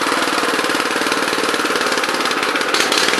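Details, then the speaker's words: Honda FR600 5.5 hp tiller of unknown year, with the choke fully off: rough, uneven chugging with irregular stumbles at steady throttle. It sputters and dies unless half choke is used; owner suspects it needs cleaning or carburetor adjustment. "see right there though the chokes all the way off so if i give it some choke it it won't sputter like that"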